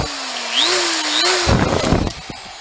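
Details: DeWalt drill bought used: a high motor whine wavers in pitch, then a rough clattering grind breaks in for about half a second. A loose piece of wire was found inside; the burnt armature is replaced with donor-drill parts.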